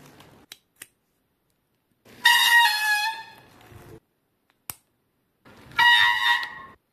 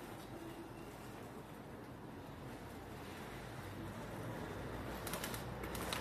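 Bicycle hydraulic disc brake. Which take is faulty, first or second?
first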